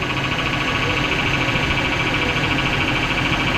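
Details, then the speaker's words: 2005 Chevrolet Silverado 1500 (GMT800) 5.3L V8 idling: a steady high whine with a grumbly undertone from the power steering pump, which had leaked its reservoir empty. Topping off the fluid made the noise go away. "Some Something's very grumbly. Kind of sounds like the power steering pump."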